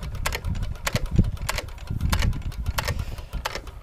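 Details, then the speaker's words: Hit-and-miss engine (a 1 1/2hp T.Eaton or a 4hp Nelson Brothers) free-wheeling unfired. Sharp, evenly spaced clicks over a low coasting thump are the cam knocking the exhaust latch-out arm once per four-stroke cycle; this is normal. "That clicking sound means that the motors ran through one cycle of the 4-stroke cycle."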